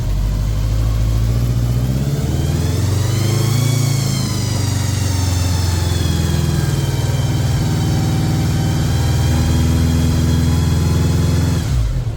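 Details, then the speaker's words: 1983 Honda GL1100 Gold Wing flat-four, revived after 9–10 years in a barn, choke off while warming up: smooth, even hum with a steady low rumble and a brief rise in revs settling back; sounds tight. Normal running. "I mean that motor sounds very good nice and [Music]"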